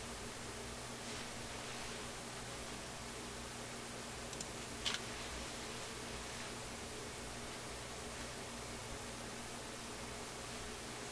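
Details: Nordmende console tube radio after reseating and wiggling the tubes: crashing noise gone, only a faint steady hiss with no station. No reception; earlier a defective IF stage was suspected.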